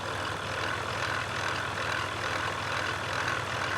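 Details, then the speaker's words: Jeep Rubicon EcoDiesel after being revved hard stuck in mud, mic held at the alternator via stethoscope: steady engine hum with a rhythmic warbling pulse about twice a second matching the wobbling alternator pulley; alternator pulley wobble. "Notice the oscillating sound is right on queue with it wobbling like that. So, now we know if you hear this sound, you got a eco diesel. This is what it is."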